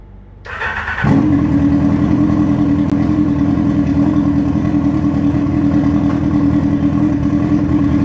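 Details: Dune buggy with a motorcycle engine at first start-up, relay added for the fans and switch, dashboard wiring unfinished: brief cranking, then it catches at once and settles into an even, steady beat; normal start and run.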